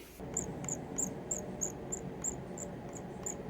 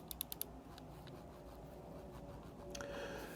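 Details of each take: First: Glorious Model O Wireless mouse scroll wheel before repair: thin high squeaks about three times a second as the wheel turns, dry plastic rubbing, fixed by lubricating the wheel. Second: Glorious Model O Wireless mouse after lubricating the scroll wheel: a few quick light scroll clicks then quiet, no squeak; fix worked.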